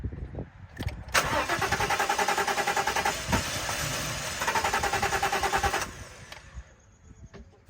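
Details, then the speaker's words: 2014 Ford F-150 crank no start from a fuel issue: steady starter cranking about five seconds with even compression pulses, never catches; fires on brake cleaner; burnt fuses. "Okay, so 2014 Ford F-150 crank no start. We've got a fuel issue."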